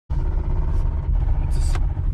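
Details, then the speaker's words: Toyota Camry engine running rough with a deep, uneven thumping underneath; attributed to a spun rod bearing: rod knock. "gotta be a spun rod bearing so we're gonna do what we can to try to salvage it don't go without oil"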